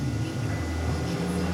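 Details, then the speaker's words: Saturn Astra with P0693 cooling fan circuit code, after repair, fans commanded via scan tool bi-directional controls at high and low speed: steady low hum with even whoosh, no ticking or scraping; cooling fan running normally. "I turn that off and go to cooling fan 2, you hear it course, Clark had to start a van, but they both went active, and it's running at high speed. So there's high, turn it off, there's low. There's high."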